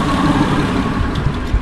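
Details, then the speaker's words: 2002 Honda Accord coupe V6 idling after timing belt, water pump and radiator replacement, coolant at max and holding steady; steady low rumble with no ticks, misses or surges, smooth healthy idle. "Everything's been holding steady. This has fluid max. You hear that? Smooth."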